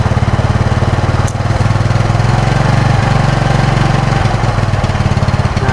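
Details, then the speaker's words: Yamaha Mio Sporty (carbureted), hot engine: stumbling, brebet exhaust beat with brief dropouts from half throttle, on the non-original fitted CDI; misfire from a faulty CDI. "di sini mulai mulai kedengaran ini udah semua disaat mulai setengah gas nah mulai terdengar brebetnya"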